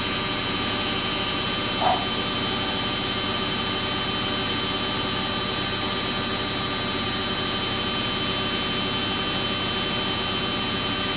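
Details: Samsung front-load washing machine on a cotton wash cycle with bubble soak and heavily soiled clothes, spinning very fast: a steady high whine over a constant rush of drum noise, likened to a Ferrari, with no knocking or banging. Normal high-speed spin.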